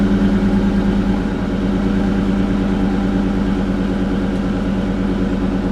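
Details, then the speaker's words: 2001 Mustang Bullitt V8, cold first start after fitting a JBA stainless off-road H-pipe with stock Bullitt mufflers and new O2 sensors: a deep, loud, slightly uneven boomy idle burble, far louder than stock. "Definitely a lot louder right off the get-go. Probably going to start smoking a little bit because of the new pipes, but you could definitely tell that rumble of the idle."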